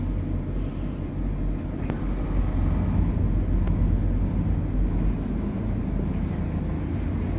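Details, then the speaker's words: Backup generator outside a mobile service truck, heard against a quiet 12V 4000W AIMS inverter charger: a low, steady hum felt through the floor with no knocks or surging, normal running. "there's a gentle hum out there you can feel it through the floor and everything but it's extremely quiet compared to the generator"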